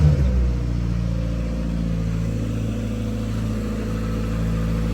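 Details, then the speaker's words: 850 kg Toyota Starlet GT Turbo, forged engine, new 3-inch exhaust and K20 coil packs, cold start, not revved because it is cold and not yet mapped: steady, even low rumble with no misses, knocks or rattles; normal cold idle. "I think can't really rev it for you guys it is a cold start this is Forge you give it a couple of revs but for now this is where you can hear"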